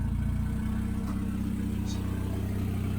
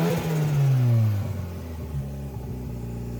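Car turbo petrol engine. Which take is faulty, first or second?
second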